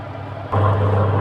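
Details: Samsung twin-tub washer after spin-tub repair and brake refit: quiet start, then spin motor rises to a steady low hum with even whir, no knocking or scraping; spins normally, though Samsung spin starts slowly.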